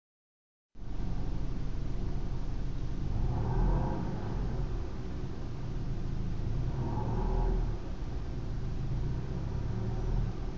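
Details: BMW E90 320i (PG55) revving around 1,000 rpm with A/C off: steady low drone swelling into a deeper hum every few seconds; noise disappears with A/C on, cause unknown.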